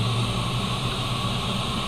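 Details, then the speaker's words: CNC mill at cycle start during a dry-run program prove-out: steady spindle and coolant-pump hum with a smooth, even tool change to tool 1; no clunks or grinding, normal. "Cycle start. My tool changes."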